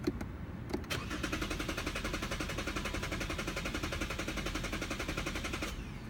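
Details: Lexus won't start: the starter turns the engine over at a fast, steady rhythm for about five seconds, but it never catches; cranks, no start.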